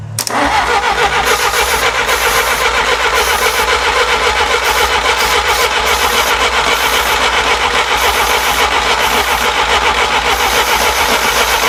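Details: 1957 Willys FC-150 engine with plug wires transferred over: steady, fast cranking at about four turns a second that never catches; no spark, with wrong plug wire order and ignition timing badly off.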